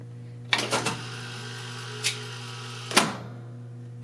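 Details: 1970 Wurlitzer 3400-series jukebox selecting record G1 in a series: steady low motor hum with sharp clicks and a final clunk as it stops; normal selection cycle.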